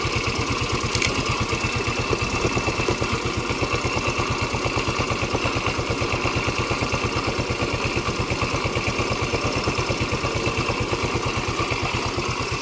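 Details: Yamaha Mio 125 scooter idling during a regulator/rectifier (kiprok) check after the wiring fault was repaired; the engine keeps running with the regulator's positive wires unplugged, showing the regulator is good. Steady, even putt-putt with no misses or hunting; healthy idle.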